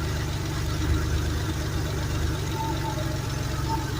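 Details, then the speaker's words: Air-cooled Porsche 911 flat-six, Bosch CIS K-Jetronic with Lambda, during closed-loop mixture adjustment: steady low idle wavers as oil cap is removed to create a temporary lean condition, oxygen sensor signal drops to millivolts, then idle and output return to normal. "You can hear the idle changing already. Now our signal has changed to millivolts, and now it's back up to where it was before."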